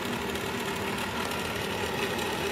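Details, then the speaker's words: Furnace ECM draft inducer motor (5SME44JG2001A) running after a temporary fix; it had failed to run, so there was no heat. A steady motor whirr carries a fast light ticking knock from the failing ball bearing; it is noisy but performing. "but you hear that barring knocking around a little but at this point time it's noisy it's performing"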